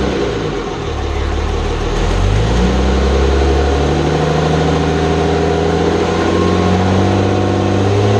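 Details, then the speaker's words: Hybrid 5.9/6.7 Cummins diesel, first run after the build: revs then settles into a steady idle with a light, fast tick on top. Valve lash may need rechecking; suspected noise from the top of the valve cover. "sounds like we might need a check valve lash again up front there's something in the top of the valve cover that's kind of taken a little bit"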